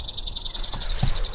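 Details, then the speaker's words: Heater in an ambulance-to-campervan conversion, turned just past halfway: rapid high chirping over faint thumps as the fan catches its plastic casing. Holding the cover down stops it; planned fix is a spacer under the cover. "but listen if I if I hold it down like that it's fine nothing serious BR nothing serious yeah a bit annoying it it's annoying"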